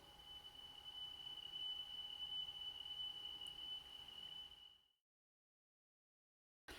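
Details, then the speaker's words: Sony La Scala TC-S1 cassette deck, belts replaced, playing a 3 kHz test tone: steady high tone with fast slight pitch waver, tape flutter; owner suspects the cassette might be the cause, unconfirmed. "you can definitely hear it it's going dee dee dee dee dee dee if something is affecting this it could be the cassette i suppose"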